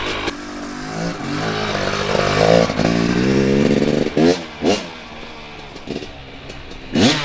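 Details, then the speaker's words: 2019 KTM 250SX two-stroke, Lectron Billetron 38 Pro carb, idling and putting around the yard before tuning: crisp revs rising and falling cleanly, no stumble; runs fine at low load, though it detonates at speed on track. "so there we have it she runs pretty good at least just putting around the yard"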